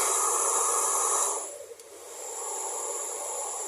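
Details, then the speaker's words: Taiff Ion hair dryer, previously noisy and weak, after repair (wire rerouted, shim refitted under the motor): smooth airy rush with no rattle, a brief dip at a setting change, then steady; noise gone, heating normally, running cleanly. "Acabou aquele barulho, né? Ó, tá aquecendo, ó."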